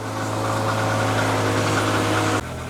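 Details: BMW E36 running again after EWS immobilizer delete, loose ground cable later found: steady, even idle hum with firm low drone, then an abrupt drop in level near the end; engine running smoothly.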